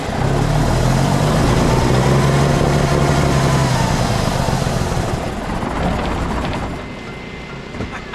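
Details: Kenworth W900A diesel after months of restoration, new unbled fuel system: fires and holds a steady, even idle, revs cleanly through the stacks, then settles back; sounds healthy, though a fuel crossover tube has a pinhole leak.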